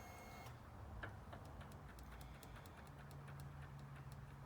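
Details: Royal Enfield Classic 500 giving only faint quick ticking clicks and no starter spin, even after tapping the relay with a hammer; the starter relay, which had been failing intermittently for two years, is faulty.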